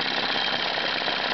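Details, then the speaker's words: 1987 Evinrude 15 hp outboard after a full tune-up, idling while the low-speed fuel mixture needle is dialed in for the smoothest run. It gives an even, fast-pattering idle with no stumbling, surging or missing beats. Normal idle with the mixture set right. "what I do is with the engine at idle you're going to want to dial that in until the engine basically runs the smoothest"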